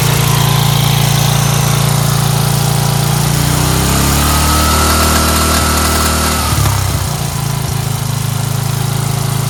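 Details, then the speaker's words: Free Dayton 11HP Hauler lawn tractor after the fuel mixture screw on the carburetor bowl bottom was turned in (too far out had caused stalling): low steady idle, deep even thump, dropping smoothly to lowest idle; healthy. "You saw on the lowest idle, right? By the way, the problem was the fuel mixture screw on the bottom of the bowl."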